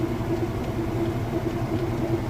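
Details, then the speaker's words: Whirlpool top-load washer with lid switch disabled, final spin cycle at top speed: even steady low drone, smooth fast hum with no knocks or scraping; spinning normally. "But right now you can see that it's spinning super fast."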